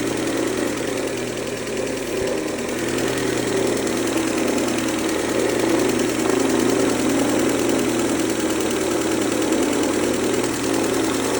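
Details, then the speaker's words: 2003 Mercedes-Benz A140 (W168), 196,000 km, sudden engine noise: idle with a fast light ticking knock over the hum at the front of the engine; owner suspects timing chain or chain tensioner, unconfirmed. "um zu gucken wie das mit der Kette aussieht, weil das interessiert mich jetzt, ob das die Geräusch vielleicht von der Kette kommt. Kettenspanner ist oder so."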